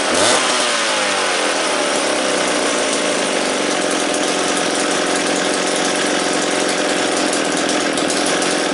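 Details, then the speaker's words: McCulloch Pro Mac 700 chainsaw, recently bought, high compression, first start after freeing starter, carburetor likely needs rebuild: settles into steady, even buzzing idle with no stumbling or surging; runs cleanly. "just nothing sounds like an old mac idol and i argue with anyone"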